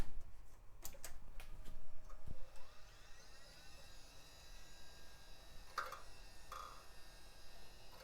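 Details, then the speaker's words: HP Vectra XA tower (Pentium MMX), Quantum Fireball hard drive at power-on: faint clicks and a weak, short rising whine that never reaches a steady spin. Drive failing to spin up, thought dead. "oh oh that sounded not great ah go Quantum Fireball is dead"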